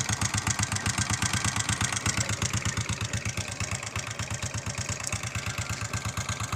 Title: honda xrm 125 knocking sound